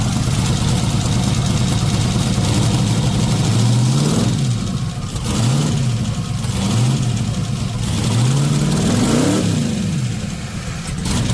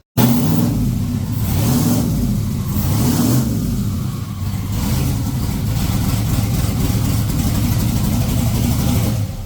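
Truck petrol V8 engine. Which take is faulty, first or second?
first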